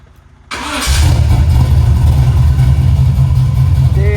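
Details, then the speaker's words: Healthy dead-cold start on the car "Meech", a 4150 Summit carburetor engine, just after a new 225 amp alternator was installed: it fires at the turn of the key and drops straight into a deep, steady, even idle. "Straight cold start, y'all. Drop of the key. Drop of the key, man."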